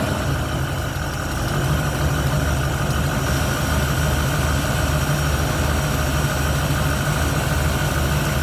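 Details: 1971 Ford Torino, rebuilt 302 V8 with C4, after idle mixture screws adjusted evenly on carburetor (was a little lean): even, steady rumble at idle with no misses or stumbles; runs smooth and clean.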